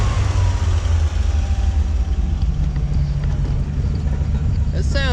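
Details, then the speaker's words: 1957 Chevrolet whose lifter ticking faded after about five minutes of running: a warm, steady, deep V8 idle with an even low rumble and no valvetrain ticking. Normal warm idle. "maybe it just needed to be around a little bit considering how long it's at but it sounds really good now very pleased"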